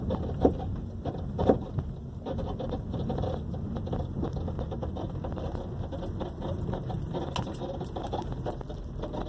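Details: 2012 Honda Civic driving over bumps: sharp heavy knocks from the front end, found to be caused by a cracked control arm bushing and a broken engine mount.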